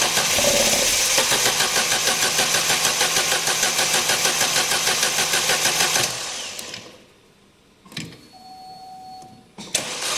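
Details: 2011 Opel Meriva, stone-cold engine on a cold day, hard to start on cold mornings; starter churns about three beats a second for six seconds with no catch; extended cold crank from a faulty coolant temperature sensor; no fault codes stored.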